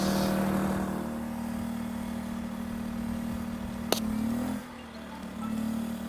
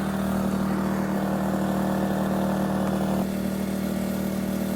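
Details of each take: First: 2,000-watt generator on non-ethanol fuel powering a Bestarc flux-core MIG welder set to 70 amps. Steady drone, then a sharp crack as the load hits; the engine sags, drops off and struggles: the welder instantly overloads the generator. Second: 2,000-watt generator running unloaded on non-ethanol fuel, started outdoors on a windy day to power a Bestarc flux-core welder. Smooth, even hum and steady low drone with no misses or knocks: the generator runs clean.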